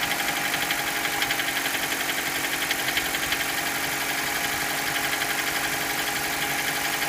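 Steady idle with a sharp regular tapping, about four per second, riding over the engine note; knock present, source not yet pinned down.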